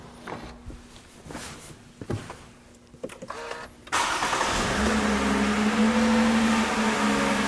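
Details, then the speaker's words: 2014 Toyota Avalon, 2GR-FE at 11,000 miles, condemned by two shops after an overheating event, after refilling coolant, fixing a clamp and new spark plugs: starts and settles into a smooth, steady idle with no misfire; engine healthy. "Again, that is the sound of a perfectly healthy 11,000 mile bulletproof 2G RFE. Runs fine. There's nothing wrong with this engine."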